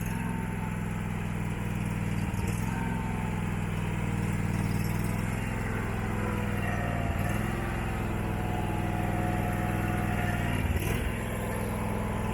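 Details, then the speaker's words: Abandoned Husqvarna mower, possibly a 2002, V-twin, first start: steady hum dips and recovers every four to five seconds, no backfire; surging idle, owner suspects junk in the carburettor. "you can definitely tell it surges the carburetor like all that stuff I showed you I would not doubt if there's some junk in the carburetor"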